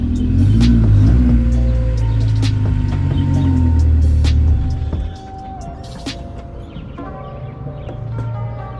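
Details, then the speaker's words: Honda S2000 at idle with the exhaust disconnected at a joint, its two bolts and gasket missing: a loud, raw, rapid puffing rumble before it eases off. Exhaust is blowing from the separated joint. "So I'm gonna go to like a muffler shop or something and find some bolts for it and get that exhaust leak fixed. All right, I'm gonna turn it on for you guys so you guys can hear it. It sounds nasty."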